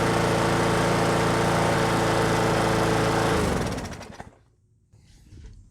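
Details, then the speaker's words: Brute lawnmower with Briggs & Stratton Classic engine after fitting the missing governor spring and adjusting governor RPM tension; steady, even buzz at constant speed with no hunting or surging, then clean spin-down at shutoff; running properly, carburetor untouched. "So yeah, this thing's running great actually."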